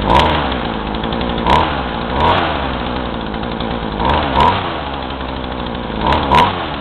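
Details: Craftsman chainsaw with new fuel lines, about 40:1 mix, run hot without choke, carb screws about 1.5 turns out: uneven idle, and each throttle squeeze brings a stumble and sag instead of a clean rise in revs; bogging, with smoke.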